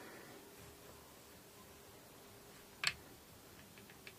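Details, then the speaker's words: Vintage-brand Stratocaster-copy guitar neck checked with a fret rocker: one sharp click, then a few faint ticks, revealing a high third fret. "ah you hear that clicking that means we've got a high fret on the third fret"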